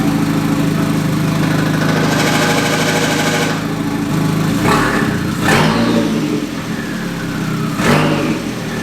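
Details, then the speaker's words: MK2 Golf with swapped 1.8T engine and 02J transmission: rough idle with an irregular knock and sharp clunks on revs; goes away with the clutch pedal down, owner suspects flywheel or clutch, unconfirmed. "sounds like my my flywheel or my clutch when i when i engage the clutch that noise goes away when i let it out it's like something's hitting on something"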